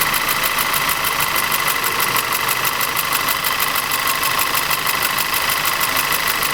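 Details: Audi TT 2.0 TFSI with unstable running and an abnormal noise: sharp, high ticking about three per second over an uneven, stumbling idle; diagnosis found low compression and ignition misfires in the same cylinder.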